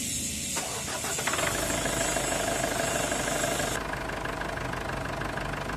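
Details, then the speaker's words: Ford Everest diesel, customer complaining of low power and a noisy engine, running during an oil flush: it catches and settles into an even, steady clatter with no knocks or misses; engine noise judged normal, low power still to be investigated. "Normal naman itong tunog ng makina ang isa pa kasing problema ni customer yung paghina ng hatak nitong sasakyan niya"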